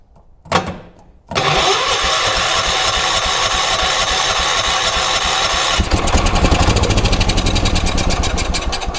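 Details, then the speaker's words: 1980s ORVCO Transtrack UTV, start on choke with fuel poured into the carburetor, before the fuel tank is connected: brief crank, then a steady, even run that picks up slightly later. It sounds healthy. "Oh, that'll do. I think that's ready for a fuel tank. Oh, how good. Actually sounds quite healthy, too."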